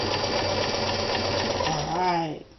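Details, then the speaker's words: Restored mid-1970s Kenmore 158.14100 sewing machine sewing zigzag: even, steady motor hum with quick needle ticks, then a smooth wind-down; normal running. "again got a full range of speeds there Stitch stays consistent at that"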